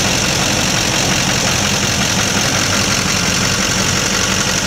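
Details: 2004.5 Duramax 6.6 LLY diesel: intermittent rough idle with uneven, irregular lumpy chatter; runs fine otherwise. Owner changed fuel and air filters, cleaned the MAF, greased injector connectors, and uses Diesel Kleen, cause unknown.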